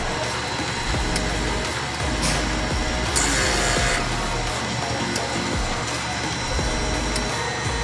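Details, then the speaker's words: 2008 vehicle, brakes bled with a pressure bleeder on the master cylinder plus a scan tool activating each wheel's valves: steady, even buzz from the ABS unit on each cycle. This is a normal automated bleed, and all wheels sounded fine. "took care of the automated bleed, so you have to pressurize the master cylinder and then activate each individual wheel, right? Yeah. You'll hear it buzzing."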